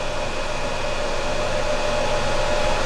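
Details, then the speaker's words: EcoFlow Delta power station, skillet heating back on, battery around 89%: fan kicks back on with steady airy whoosh and faint high tone; cooling fan spinning hard under heavy load, normal. "It kicked back on. You can hear the fan going when it's drawing a lot of energy."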